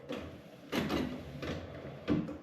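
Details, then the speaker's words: 1962 Pontiac Catalina Safari with a formerly frozen wiper motor, taken from a parts car and freed up with lubricant: soft, even swishes about every 0.7 seconds with no grinding; wipers work normally. "Those work better than the wipers in my Firebird do."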